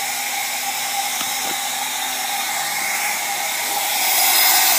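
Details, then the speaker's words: Mercedes 617 diesel (300D) leak-down test, engine stopped at top dead center, 50 psi applied reading 42 psi (about 20% loss): steady airy hiss of air escaping past the piston rings; some ring leakage is normal. "your first leak right there, which are the piston rings. You're always gonna get some of the leak because they're not completely pressure tight."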